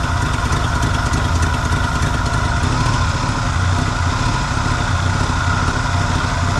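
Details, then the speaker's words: 1974 Chevy C10 dump truck small block with Edelbrock carb, after adding timing with the vacuum advance on the manifold vacuum source so timing advances at idle: steady, even low idle with a firm regular beat and no misses. Smooth idle. "it's running better with more timing because when the vacuum advance is getting its vacuum from the manif fold Source it's getting advaned at idle and it's running happier then if I do that so it needs timing"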